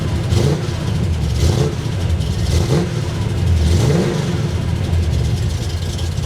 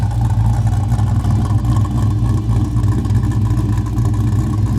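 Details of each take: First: Oldsmobile Cutlass small-block Chevy V8, low idle, revs blipped: rising slightly ragged with faint valve train rattle; valve cover removal found a broken valve spring. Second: Oldsmobile Cutlass with a small block Chevrolet V8 on its first drive, before a broken valve spring was later found: deep, lumpy burble swelling with each throttle blip, clean pickup with no knock or miss.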